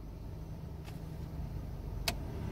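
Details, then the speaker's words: 2006 Chevy Colorado 2.8L: new blower motor and resistor installed, stepped through speeds one to four; quiet, steady low hum with no rubbing, squeal or rattle. The old blower had worn bearing play causing noise. Normal blower operation after replacement. "and there she goes and she sounds good guys"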